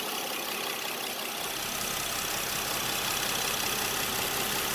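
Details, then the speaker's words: 2010 Honda Odyssey at idle in park with A/C off, checked for power steering pump noise: steady, even idle with smooth hiss, no knocks, whines or squeals; normal idle. "so here it is with the a/c off and the car in park no noise just normal"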